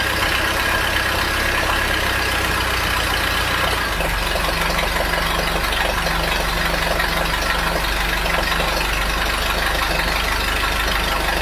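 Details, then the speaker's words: Mercruiser 3.0 boat engine after replacing the noisy water recirculation pump, band-aid fix with aviation Permatex, running on hose: steady drone with constant beat and splashing hiss, no squeak or squeal; no leaks, no more noise, normal running. "all right as you can see no leaks no more noise and the engine is running great so far"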